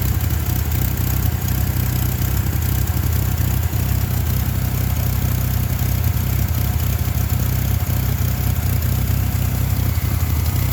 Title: 2.5 lima rough idle troubleshoot